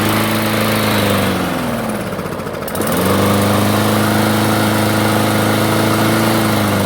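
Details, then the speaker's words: Craftsman self-propelled mower, carb previously cleaned: starts and runs only at low idle, stalls when self-propel engages or when cutting. Drones at low idle, sags nearly to a stall, recovers, never revs up; clogged carburetor main jet. "it'll start it'll run uh but it will run just at a low idle and as soon as you try to engage the wheels or you know cut through anything it stalls out"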